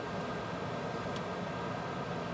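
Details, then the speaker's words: Ten-year-old Rheem RTG-84XN natural-gas tankless water heater (inlet pressure about 6.5, spec 4–10.5) after cleaning clogged burner ports that held cockroach debris: soft, even whoosh on light-off with no bang or stutter; normal burner ignition, delayed ignition cured. "okay all back together see what it sounds like perfect roll out no delayed ignition"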